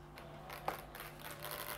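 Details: 2012 MacBook Pro with a noisy cooling fan: steady low buzz with a faint hiss from a fan clogged with dust and old oil.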